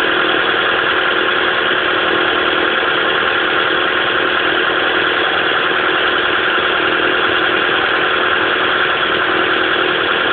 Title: Pajero mini misfire (high idle)